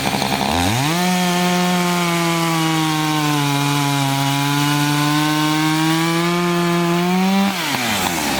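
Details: Chainsaw of roughly 50–60cc (owner unsure, maybe 58), 3/8 pitch chain on a 24-inch bar, on its second tank and barely broken in, cutting old wood: it winds up to a steady high scream, dips a little, holds firm through the cut and recovers cleanly, normal under load.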